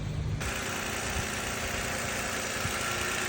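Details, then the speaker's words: Toyota Avalon after replacing noisy alternator (clutch pulley type) that caused intermittent chirp: smooth even idle, steady low hum, no chirp or squeal; normal idle, noise gone. "तो गाड़ी start है तो जो पहले sound आ रहा था वो अब नहीं आ रहा है।"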